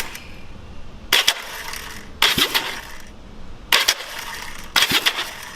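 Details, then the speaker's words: 1970 Honda CL350 after a starter clutch rebuild, tested before reassembly: four short metallic whirring bursts a second or more apart, engaging cleanly without slipping or grinding; much better than before, normal engagement. "sounds really good a lot better than where it did sound I'll tell you that"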